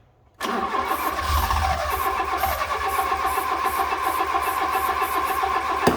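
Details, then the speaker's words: Fiat Punto GT first start after sitting a long time, previously cranking slowly: catches, runs fairly evenly several seconds, then cuts out abruptly; owner suspects it ran out of fuel or fuel is stale. "That sounded pretty good considering it's not been started for so long. Okay, so we got it started. It did cut out again."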